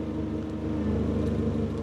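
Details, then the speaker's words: Ford Fiesta with a suspected blown head gasket, after Steel Seal treatment: the radiator fans kick in at 105°C, giving an even whirr over a smooth idle. The temperature falls to 99°C with no overflow or overheating as before; normal fan operation. "The fans are kicking in. We're 105 degrees on the diagnostic."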